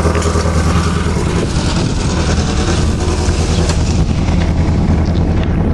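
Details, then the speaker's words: Eagle Summit 1.8 L 4G93: loud uneven lumpy idle stumbling every couple of beats; cylinder two misfires with low compression, owner suspects head gasket. "it's got a bad cylinder see what I mean"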